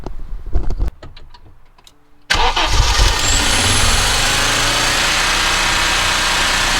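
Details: Audi 2.2 Bosch K-Jetronic with a screwdriver put in: catches after brief crank into high steady fast idle, usually about 3000 rpm plus, never dropping to normal; helper suspects an air leak.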